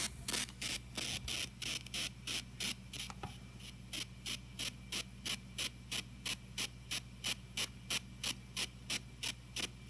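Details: TG-TEK tablet headphone output during a download, amplified via a laptop surround sound system: a rapid, thin, high ticking hiss about three bursts per second. It occurs only with headphones while downloading or multitasking; cancelling the download stops it, not always immediately.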